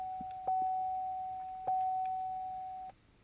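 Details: 2010 Chevrolet Equinox with a no-start, key turned to position two: clean mid-pitch chime about every 1.2 seconds as Service StabiliTrak comes on. The no-start was later traced to a loose ground wire.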